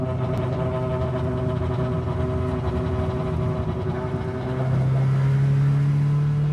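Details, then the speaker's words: Toyota Corolla KE35 classic car while driving: low droning rumble from under the car settling into a steady hum; appeared after an earlier severe vibration vanished, source not yet found. "Then all of a sudden, when I was driving it back home, the noise just kind of vanished randomly and then we ended up with this noise."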